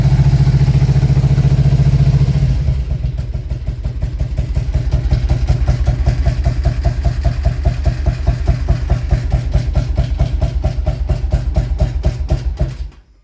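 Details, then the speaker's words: 2000 Harley-Davidson Road King V-twin: chugs steadily, then turns lumpy with skipped beats and cuts off after several seconds, as it does almost every start. "If I give it a little bit of gas, it'll go ahead and let it start, but it's still running really rough."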